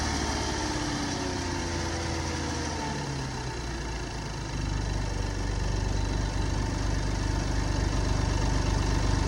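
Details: 2006 Lexus IS250 petrol engine idling with a dull, steady low knock under the exhaust note; suspected failed rod or main bearing, not confirmed.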